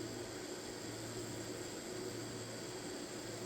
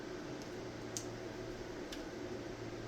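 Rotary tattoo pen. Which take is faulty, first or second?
first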